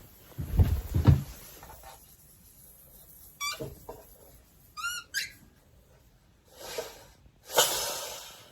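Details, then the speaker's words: Older air compressor: thumps and chirps, then sharp bursts of air hissing out. The owner thinks the pump was fighting pressure already in the line, and suspects a pressure release valve or a crack. Air leak hiss, cause not confirmed. "catfight or something you can hear it hissing out"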